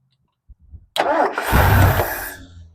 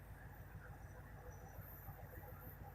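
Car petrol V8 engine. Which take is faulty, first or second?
first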